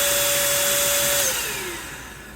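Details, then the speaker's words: Bissell 3-in-1 turbo vacuum foot brush roll motor (RS-380SH-19156RBPY) tested on its own: high whine that sags and drops in pitch as it slows, struggling to spin; internal motor brushes found ground incorrectly from the factory. "ah it does have a problem spinning it looked like it's spun there that first first so yeah let's try it again yep so it looks like we definitely got a problem with the motor"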